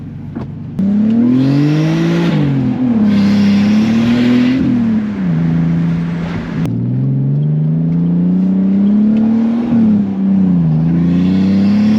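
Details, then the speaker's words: BMW E46 330i straight-six fitted with a CXRacing turbo kit, custom 3-inch stainless exhaust with resonator and muffler, BeRacing injectors, MAF and tune: smooth rising pulls with turbo whoosh, revs climbing and dropping evenly between gears; healthy, strong engine. "One thing I'll say right off the bat, this car does sound awesome. I love it. Straight six sounds good, strong, and then the turbo noises, they're, you know, you just gotta love them."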